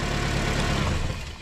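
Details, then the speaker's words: Car with a failed alternator: when the battery is disconnected the idle chugs briefly, then sags and dies within about a second. The alternator is producing no voltage for the ignition, so it needs replacing. "see the car dies so what does it tell you as soon as I disconnect the battery I took the battery out of the car alternator is not generating any voltage to to run all this equipment spark plugs and ignition so what car does it dies out"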